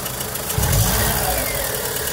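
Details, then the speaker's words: Volkswagen Saveiro with low compression on cylinders one and two, idling then blipped: a light ticking knock rides over an uneven idle and sharpens on the blip; mechanic suspects a blown head gasket, bent valves or a manifold leak, unconfirmed. "sólo en baja se alcanza a sentir ese como siempre tarde se siente como por aquí así como si algo como si una fuga de aire del móvil del múltiple"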